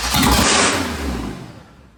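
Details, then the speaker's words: Pontiac Fiero with swapped 3800 engine, first start: fires straight into a loud high-rev roar instead of idling, then shut off; bent throttle cable lever hitting the throttle body likely holds throttle open. "looking at my throttle body, this looks extremely bent out of shape, which is hitting the throttle body. And I think it's not letting it close all the way."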